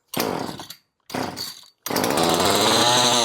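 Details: Rebuilt Poulan Farmhand 2500/2900 two-stroke chainsaw, run with the clutch cover off to check oil flow: two short cranking bursts, then the saw catches and settles into a steady, even high buzz. It starts and runs cleanly.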